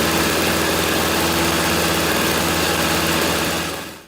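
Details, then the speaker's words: Free 1997-1998 snowblower after carburetor replacement and cleanup, primed, choke in middle: starts and holds a steady, even buzz with no surging until shut off; running normally. "Put a $13 carburetor in it, and it is up and running and ready to go."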